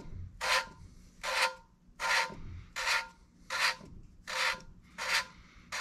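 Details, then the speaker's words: 454 big block head, valve hand-lapped with fresh compound: regular dry, gritty back-and-forth rasping about 80 a minute, expected to smooth out; coarse stage. "Yeah, you can kind of hear how gritty that is when you first start. And it'll smooth out as we go."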